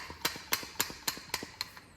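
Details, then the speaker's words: Failed Pontiac Fiero starter, bench-tested after it smoked and would not turn, then shaken by hand. Sharp metallic clacks about every quarter second as everything inside rattles, not just the Bendix; it smells burnt: loose starter internals. "that's not the Bendix that's like everything inside of here"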